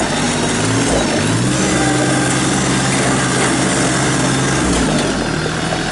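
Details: 2017 New Holland Boomer 24 compact tractor, 24 hp 1.3 L Mitsubishi 3-cylinder diesel, 329 hours, freshly serviced: a steady diesel chatter with a slight pitch lift as the tractor moves off, and no knocks or misses. Normal running.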